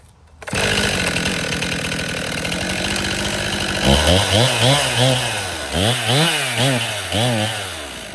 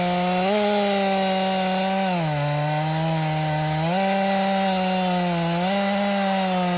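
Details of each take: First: Stihl MS261 M-Tronic chainsaw, hot restart after sitting five minutes warm: repeated throttle blips rise sluggishly and flat instead of snapping to high revs; bog on acceleration, owner suspects it is running lean and needs a carburetor service. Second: Stihl MS261 M-Tronic chainsaw, warm, previously bogging when hot (air leak suspected at carburetor fuel line inlet): high, clean engine tone dipping under load in the cut and recovering each time, pulling strongly without bogging.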